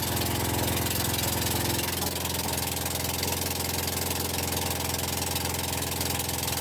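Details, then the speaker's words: 2004 Husqvarna yard tractor, single-cylinder engine, run again after sitting since 2014. It thumps fast and uneven, stumbles, then dies; owner suspects bad fuel or too little throttle or fuel. Rough running, cause unconfirmed. "I'm sure you heard it just die not really sure what that's about but it's uh it's probably trying to burn through some bad fuel or anything that's in it so it's not very happy about that"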